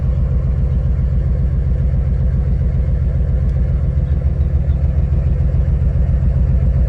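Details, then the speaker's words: 2006 Nissan 350Z cylinder-kill test: deep lumpy idle pulsing about four times a second, no rpm drop when cutting cylinders 4 and 5. Misfire traced to cylinder 5 coil disconnected and cylinders 4 and 6 coil connectors swapped. "el cuatro no trabaja que vamos a ver el cinco ejecutar el test miren n más como tiembla Okay este tampoco está trabajando"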